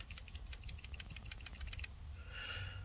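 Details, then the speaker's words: Ford XH Falcon automatic with 2nd-to-3rd no-shift problem, gummed-up transmission solenoid removed and cleaned: crisp regular clicks about six per second as it is shaken, then stop; plunger slides freely, working again. "working again hopefully that's how it should sound"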